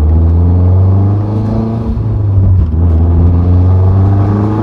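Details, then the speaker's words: 2008 Mazdaspeed 3 GT with a FWD 2.3 MZR turbo and a factory exhaust with the second cat and the muffler deleted; deep, loud rumble that swells and eases as the revs rise and fall, healthy. "so it's like a it's a really nice Rumble it's a factory exhaust with deleted uh with the second cat deleted and a muffler delete"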